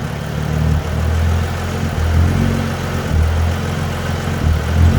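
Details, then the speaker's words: Dodge Journey alternator test, negative cable disconnected, recorded in front of the car, no throttle input: idle drifts up and down every second or so like someone hitting the gas; surging idle. "i'm out here in front of it the idle going up and down bad self [Music] that's like somebody hitting the gas ain't nobody hitting the gas"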